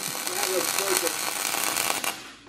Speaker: Part of wiring, welding, mm-hmm. is you're mm-hmm. hearing it. It should sound like frying bacon.